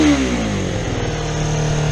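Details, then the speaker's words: Kawasaki EX250 Ninja twin after carburetor cleaning, choke just turned off, unburned fuel smoke from the pipe: steady fast idle well above normal tickover with no throttle; high idle, to be lowered with the idle screw, pilot screws still need adjusting. "now it's idling high so all I got to do is turn on idle down we should be gold"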